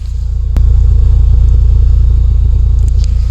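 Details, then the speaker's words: 27-year-old Audi, idling; deep loud exhaust rumble with fast, fairly even pulses about 3.5 per second, cause not pinned down; loud exhaust rumble. "Kuulete, kuidas nurru või? Olete te 27 aasta vana auto, olete nii siukest asja kuulnud."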